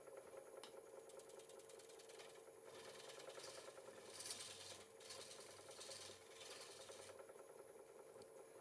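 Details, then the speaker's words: Woodturning an 18-inch thin-walled tray on a Powermatic lathe with a scraper in a shear cut: steady scraping with fine, uneven rattling chatter from a small knot vibrating in the wood; harmless. "Now I if you can hear the vibration that I'm getting, there's a little bit of a knot right here that's just vibrating. That's all. Which is not a big deal."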